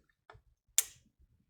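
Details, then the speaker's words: APC UPS that would not turn on, powered with 12 volts from a bench supply in place of the battery: one crisp relay click at switch-on; the inverter and board work, output measured at 235 volts. "I can hear a click and yeah it is working actually it is working"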